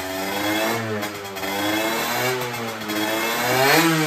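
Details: Derbi 50cc two-stroke motorcycle with new cylinder, after carburetor replacement and exhaust leak repair: crisp buzz rising and falling with throttle, no rattle from the exhaust, running properly.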